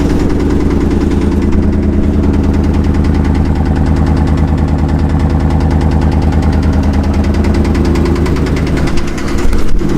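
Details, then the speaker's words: Truck idling with a regular light knock about twice a second, yet no miss and oil pressure perfect; owner thinks it comes from one side, possibly a lifter or anti-lash follower, but origin unconfirmed. "that's a hell of a knock on truck runs perfectly doesn't have a miss"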